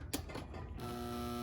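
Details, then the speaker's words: Athearn Pennsylvania F-unit model train locomotive given power: a short click, then a steady buzzing hum at one pitch with no gear rhythm; the motor gets power and is probably good, but the drive is completely seized. "is uh completely seized so it's getting power it probably has good motor but uh something is locking that up"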